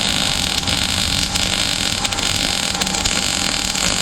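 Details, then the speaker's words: Harbor Freight Titanium 200 multifunction welder, new, MIG welding: even steady bacon-like sizzle with no pops or sputtering, feed rate about right; normal clean weld. "He's a good welder. So I I uh expect good work here. That's good work. Yep. It's making exactly the right sound."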